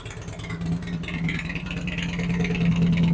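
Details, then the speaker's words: 2008 Harley-Davidson Street Glide after Screamin' Eagle 255 cam install, second startup after readjusting a pushrod: lumpy loping V-twin beat, revs rising faster and crisper, no ticking; normal idle after repair. "They're a lot faster, crisper this time, so no noises, no abnormal noises now."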